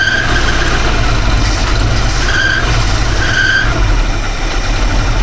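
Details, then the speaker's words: Engine after installing a new distributor and setting timing: rough low idle with short sharp squeals coming and going about once a second; squeal source unknown. "Want to hear the most annoying sound in the world? What the HELL IS EVEN THAT?"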